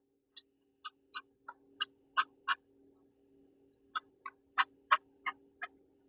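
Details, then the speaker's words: Bad tensioner pulley from a 2012 Scion tC 2AR-FE engine spun by hand off the car: irregular dry clicks and crunches about three a second from worn bearings, the cause of belt squeak; new pulley is silent. "Literally, you can hear it crunch. Can't even hear the squeak. If you ever wonder what that squeak noise is, when you got a bad tensioner pulley, bearings go bad in it."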